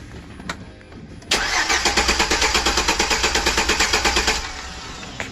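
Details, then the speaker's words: 2008 Chevrolet Express V8 with an intermittent cylinder 1 misfire, injector flowing 2.2 psi less suspected: cranks about three seconds with a steady, even chug, about seven pulses a second, without firing; rhythm sounds even, suggesting balanced compression. "I mean, that sounds pretty damn even. It was a little weird before."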